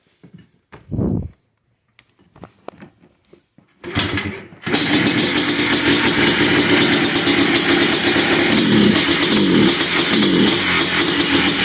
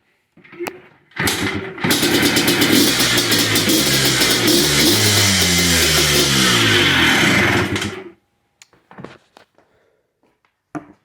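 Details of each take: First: 2005 Yamaha Blaster two-stroke with a no-rev bogging fault: a few cranking attempts, then a raspy drone that won't climb cleanly and stays bogged, with the bypasses still in place; the TORS circuit is malfunctioning and not fully closing. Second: 2005 Yamaha Blaster two-stroke after a full TORS bypass (CDI/TORS yellow-black wire grounded to engine) cured its no-rev bogging; it fires up and revs climb and fall cleanly through several blips, running normally.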